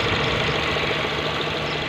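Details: Mazda 3 after repair of its variable-speed cooling fan, which had been varying in speed and letting the engine overheat. Steady even whoosh of the electric fan over a smooth, quiet idle, no ticking or rattle; normal.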